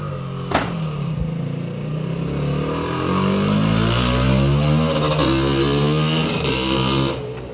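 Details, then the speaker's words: Two-stroke bike revving unevenly, the note wavering and stumbling instead of climbing cleanly; it is not running right and the cause is unknown. "not sure exactly what that bike needs it needs something because it's not running right he says it's not running right and i hear it's not running right"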